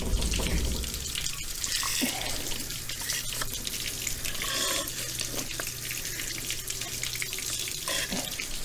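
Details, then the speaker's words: Force 120 hp two-stroke outboard, running on water muffs on two-stroke fuel squirted into the carburetors, carburetors not yet cleaned. Low steady hum under rushing water; fires and keeps running evenly, healthy. "sounds pretty good to me [Music] [Music] so i think we'll call that a success"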